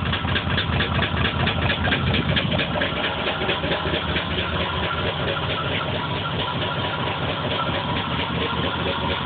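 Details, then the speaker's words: Engine just fitted with new spark plugs after old ones came out black and smelling of gas, throwing P0300: uneven, lumpy idle stumbling a bit over twice per second, muffler and floor shaking; random misfire, cause unknown. "even see the floor shaking and this is what happened oh and it's not even throwing any codes"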